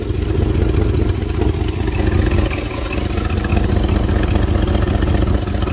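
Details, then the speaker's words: 1999 Dodge Durango SLT, 5.9 L Magnum V8, after 14 years parked. Loud, lumpy idle with an uneven, stumbling beat and dropped pulses; two spark plug wires are completely eaten off, so two cylinders misfire. "started it back up sounds the same so uh yeah we're missing two plug wires guys"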